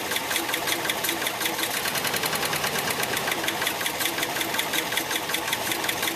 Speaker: all right so you can hear how rough that sounded um and it'll hold idle just really bad